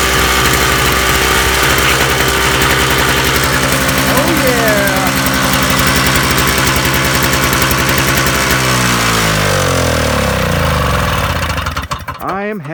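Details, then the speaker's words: Toro two-stroke snowblower after carburetor main jet cleaning and new spark plug, warm after running five minutes, choke off: catches and runs at a steady, even buzz, then winds down smoothly; running normally. "well guys after cleaning out the main jet of the carburetor and getting a new spark plug in here i'm happy to say that this actually runs now i just had it running for five minutes choke is off"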